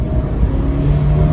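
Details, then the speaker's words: 2018 Fiat 124 Spider, 1.4 turbo automatic, hard full-throttle acceleration: engine drones and whines, note climbing with no shift yet; characteristically late upshift, considered normal. "listen to it see it's whining if that was a bmw or a mercedes it would have changed up feels like it's late sometimes it feels like it's slow it's just characterful"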